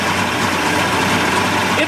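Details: 1988 Mercury 70 hp inline three-cylinder two-stroke outboard in a test tank after carburetor work. Steady, even idle with no knocks or misses over water splash; said to sound better out of the tank on ear muffs. Normal idle.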